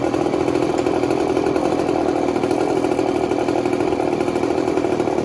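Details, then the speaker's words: 1980s Mastercraft (Poulan) chainsaw, old, being revived and spitting some gas: steady high buzzing two-stroke note holding even revs with no stumbling or misses; normal running. "it's old but it you can I don't know it sounds like it runs nice"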